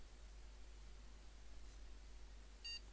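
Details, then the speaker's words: Desktop PC that boots only after holding the MEM OK! button, tested after a jumper change cleared a USB over-current message: quiet room, then one short clean beep; single POST beep, picture appears and the board boots into the BIOS. "yeah one bleep and we have a picture so let's go into the bios now"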